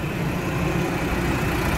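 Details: 2017 Nissan Frontier 2.3 diesel at 114,000 km, after steering box, suspension and brake work: steady even diesel rumble with no knocks, misses or rattles, settling straight into a smooth healthy idle.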